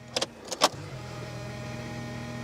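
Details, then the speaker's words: Cheapest BMW with a known fuel pressure problem; the under-floor fuel pump had seemed dead with the engine dying, then became audible again: a couple of clicks, then a steady low hum with faint whine; the pump is intermittently noisy. "it's gone back to being noisy again and it starts up that is so so strange"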